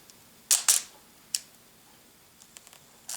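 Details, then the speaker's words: Cleaned thrift-store film SLR (Nikon FE or Pentax K2) in automatic mode with meter on: two sharp clicks about a fifth of a second apart; healthy shutter at slow automatic exposure. "I have it on automatic, that's why it's like pretty slow. You can hear that gap."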